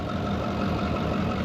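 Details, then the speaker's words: Brockway 358 truck, Cummins 555 triple nickel diesel, after valve adjustment: low even idle with soft steady clatter, no knocks; sounds awesome, still hazing smoke, owner suspects 25-year-old fuel or the fuel filter. "that sounds freaking awesome nothing else sounds like a triple knuckle guys"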